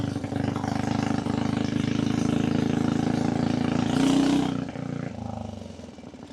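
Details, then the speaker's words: Coleman minibike converted to 2-wheel drive drag bike with built Harbor Freight Predator 420cc engine, ridden in rain near freezing: steady single-cylinder drone holding clean under load, easing off smoothly without backfiring or misfire; healthy engine, maybe needs slightly more ignition timing. "Motor sounds like it's running perfect, too. It's not [snorts] backfiring. It's revving out drive."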